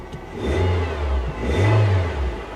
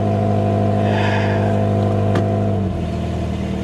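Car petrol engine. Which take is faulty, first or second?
second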